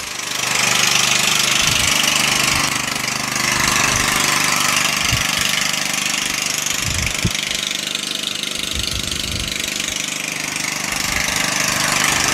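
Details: Murray lawn tractor engine after a valve adjustment and with the spark plug refitted; it now spins over easier. Steady regular beat without misfires or rattles; the engine runs fine, though the transmission later fails to drive the axle.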